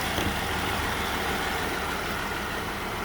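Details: 2017 Jeep Wrangler 3.6L, cylinder 2 misfire persisting after injector, coil and all six spark plugs were replaced: uneven, lumpy idle with a rough stumbling pulse and engine shaking, from low compression in that cylinder.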